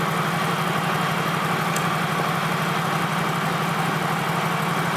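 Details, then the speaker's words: Turbocharged car engine at idle after a boost spike to about 15 psi: rough, uneven stumble about four times a second, one cylinder dead from a failed ignition coil, confirmed by swapping coils. "so basically what that means is coil to the it died we switched coil to from cylinder three to two cylinder three was dead at first"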